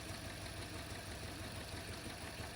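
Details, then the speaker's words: Toyota Corolla with the check engine and vehicle stability control lights on, heard at the exhaust: uneven, lumpy idle with a stumbling low beat and an irregular engine shake; misfire, cause not yet found. "yep so troubleshoot this one that's how it feels and it's like uh when you drive it's like a misfiring there's a yeah it's quite hard to explain but it's misfiring you can see the engine is shaking and the noise"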